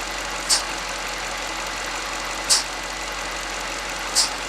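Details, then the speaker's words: 2018 Mercedes S63 AMG, 95,000 km, idling: whistling, vacuum-cleaner-like hiss; engine pulling vacuum at the oil filler from a torn crankcase oil separator diaphragm; whistle stops when oil cap is opened, separator being replaced. "엔진 오일 캡을 열었을 때 휘파람 소리가 없어지면 이제 세퍼레이터의 문제라고 보시면 돼요."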